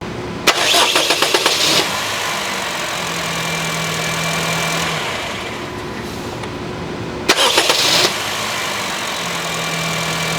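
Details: 2011 Honda Fit after replacing the noisy starter (removed from below) with a new unit: two quick, even cranking bursts, each catching promptly into a steady idle with no grinding or whirring; starter working properly.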